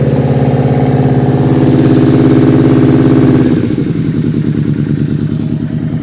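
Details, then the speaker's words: Machine abandoned over a year, started with a jump strap, choke out and in neutral after the fuel pump cycled: small single engine catches and idles with an even quick thump, then settles lower and steady; runs normally. "Good. At least this thing's running."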